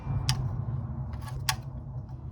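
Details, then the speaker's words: 2007 Matiz engine: low drone with sharp light ticks, lifters tapping; engine had no oil; starter replaced about 15 days earlier. "este motor les ha puesto que no tiene aceite ahorita le vamos a sacar para que usted"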